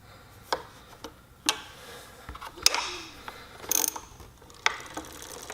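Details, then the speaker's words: Heybike Ranger e-bike after adjusting brake pad in and out to stop rubbing: wheel coasts with only light scattered freehub ratchet ticks and no scraping; brake rub gone after adjustment. "and it is totally gone guys now I will squeeze the brake and done"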